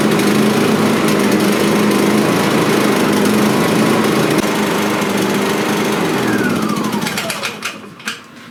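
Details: Silent suitcase generator after a starter cord repair, engine switch now on: pulls into a strong, even buzz at steady speed, then winds down smoothly at shutoff. Normal running.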